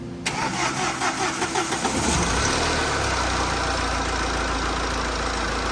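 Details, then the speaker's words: TATA 2.2 diesel that was hard-starting and knocking, after rebuild (cylinder 2 bored with new piston, head skimmed, valves ground, new gasket, bearings, water pump): short crank, fires at once, settles to a steady even idle. Starts easily and runs smoothly; an alternator bearing noise was noted afterward. "เครื่องเดินนิ่งนะฮะติดง่าย"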